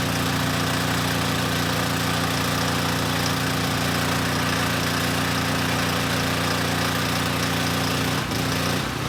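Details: Coleman Powermate Pulse 1850 generator (PM0401850, 1996 engine 93412-0136-01), long-stored, first start before repair; loud uneven lumpy beat needing half choke to smooth out, rough running from contaminated fuel and dirty carburetor; still makes power for about a 1500 W load.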